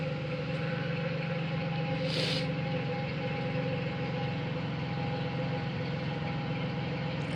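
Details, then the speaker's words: Pontiac Bonneville 3800 (P0171) at idle after cleaning coolant off the plugs, radiator flush and oil change; suspected head gasket, hoped to be upper/lower intake: smooth, even idle with steady low hum, no misfire or stumbling, no overheating. "seems to be running pretty good now there's no more misfire or anything there's no coolant getting into the plugs"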